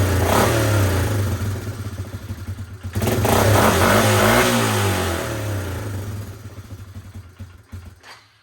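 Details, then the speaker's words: Suzuki Eiger 400 ATV after cleaning the ground terminals and fitting a new starter: the single-cylinder engine catches and revs up twice with a clean rising note, then settles and fades; normal running. "It's running."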